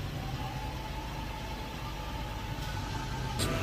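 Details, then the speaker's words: 2006–2010 Ford Fusion 3.0 V6 after replacing failed ignition coils and a used PCM (from a 2009, programmed to the 2008), with the throttle body cleaned. Smooth, even idle with no stumbles or skips; no misfire, running great. "so no misfire no nothing going on vehicles running great"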